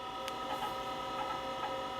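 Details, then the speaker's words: IBM PS/2 Model 30 286 (10 MHz 80286) at power-on: the proprietary hard drive makes faint irregular ticks and clicks about every half second, re-seeking repeatedly without booting. A bad sector is suspected, and an error reading drive C later appears. "so the hard disk is thinking about doing something I can hear it seeking but it's re re seeking repeatedly so it sounds like it's already got a bad sector that it's trying to find"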